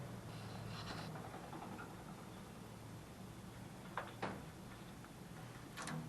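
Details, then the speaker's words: Old gas water heater pilot relight: igniter pressed about three times while holding gas knob, giving a few sharp separate clicks over room hum; normal piezo igniter sparking to light pilot. "You press this down, you ignite this, about 3 times. There should be some pilot light that lit up."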